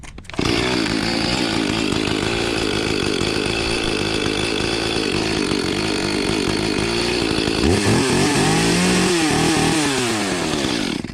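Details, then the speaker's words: Echo chainsaw, neglected over a year and once submerged, moldy and rusty: steady high two-stroke buzz at idle, then a clean rev up and back down; runs and responds normally. "Folks, that's why I like them Echoes. They crank."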